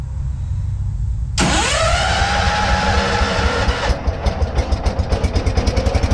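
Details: Allis Chalmers 410 tractor, first start in 8 years, choke working but no throttle, fresh petrol splashed in: starter whirs a couple of seconds, then uneven pops pick up about four a second as the engine catches; owner suspects a bad throttle cable.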